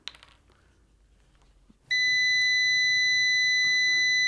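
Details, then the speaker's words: Uni-T UT161E multimeter continuity test using its supplied gold-plated leads. A clean, steady high beep holds continuously for about two and a half seconds when the leads touch; the leads work well. Normal continuity beep. "That's a good sign. Let's try. All right, that worked pretty good."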